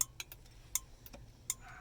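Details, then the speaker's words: Nissan 720 hazard flasher after working the dirty, sticking switch contacts on the steering column: crisp, sharp ticks at an even pace, roughly one every three quarters of a second; flasher now working normally. "the contacts are in there and dirty are getting stuck so you can hear the Flasher is now working"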